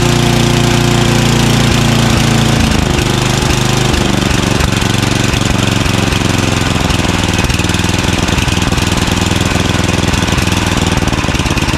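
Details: Craftsman 29" snowblower, 9HP Tecumseh single-cylinder, after carburetor cleaning with a blocked pilot jet cleared: loud, steady chug holding an even low idle at the bottom of idle, no hunting or surging, idling great.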